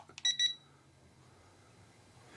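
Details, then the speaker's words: Potensic A21 battle drone controller after the drone crashed and flipped: two quick high-pitched beeps then silence in a quiet room; it fails to reconnect until the controller is switched off and on. "okay so again yeah it looks like i need once if you crash it looks like you'll need to turn it off and on again to reconnect the drone in that case"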